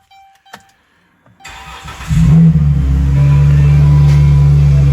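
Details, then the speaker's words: Engine cranks, catches, then settles into a loud, deep, boomy drone at idle on a 2013 Chrysler Town and Country fleet van; the exhaust is leaking at an open resonator, exhaust leak drone. "don't know if y'all can hear that or not, but there's something wrong with the exhaust."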